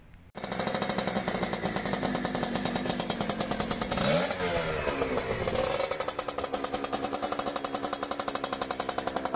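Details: CanAm Rotax 125 two-stroke on its first test run with a replacement engine, overhauled carburetor, new right-side exhaust header and separate oil lubrication: crisp rapid popping catches after a second, climbs through a rev and settles back; runs cleanly, minor tuning still needed.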